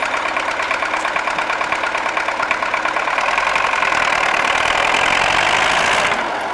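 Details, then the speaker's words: MTZ-80 tractor diesel after injection pump overhaul: uneven idle with irregular knocks about three a second; engine knocks and misfires at idle but runs smoothly under load, cause not pinned down. "стучит как то он и троит короче к задаешь доктора но под нагрузкой работает ровно"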